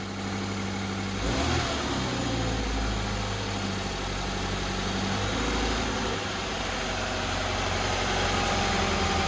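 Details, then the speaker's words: 2013 Scion FR-S after rod knock, first start-up on new/remanufactured short block, engine primed: smooth even idle; a brief knock heard earlier was thought to be timing chain lacking oil pressure; normal idle. "now this is going to be the first start up it's running smooth I think that little knock noise what you heard was the timing chain it probably didn't have uh enough oil pressure in it sounds good"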